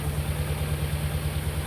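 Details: Petrol engine misfiring at idle: low, uneven, lumpy irregular pulse with no clean steady beat. Long-term misfires overheat the catalytic converter, risking fire.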